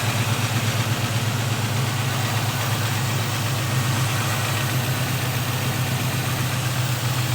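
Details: LS-swapped G-body Cutlass V8 with a three-year fuel system issue, started on a borrowed battery; owner reports a lifter issue: steady idle with a light, uneven ticking at about three per second, a noisy lifter; a leak was found.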